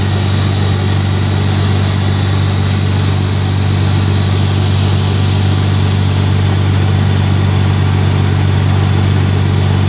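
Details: BMW E46 cold start with secondary air (smog) pump running: steady low hum over an even idle, no rattles or squeals; pump working normally.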